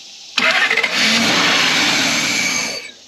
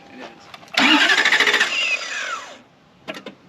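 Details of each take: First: 1991 Lexus LS400 that sat about 11 years, cranked on starting fluid after the timing was corrected: catches and roars for about two seconds, then dies as the fluid burns off; the engine now fires, timing appears right. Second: 1991 Lexus LS400 after sitting about 11 years, strong 675 CCA battery; brisk, even starter whirr for under two seconds that winds down without ever firing, cranks fast but gets no fuel.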